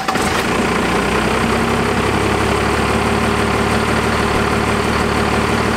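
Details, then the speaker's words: Resto-gen diesel after a fuel adjustment: steady even clatter at slow idle about 500-600 rpm, no hunting or surging; normal idle. "once it's locked in place then because i think that sounded like it was about 500 and 500 to 600 rpm at idle which is fine with me"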